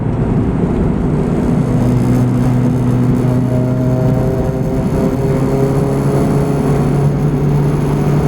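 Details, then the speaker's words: Turbo Honda Civic project driven on a hot day: at barely any throttle below 3,000 rpm the engine note wanders up and down instead of holding steady, rev hunting. "it's still doing that rev hunt which I was hoping would go away driving but it's making it really difficult to drive slow like around corners and that"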